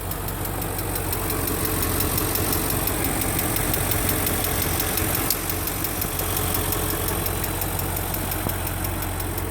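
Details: 2003 Range Rover HSE, 4.4L BMW M62TUB44 petrol V8, idling with a light, quick ticking through the engine note; owner thinks it may be slightly low on oil, and the sound later went away on its own.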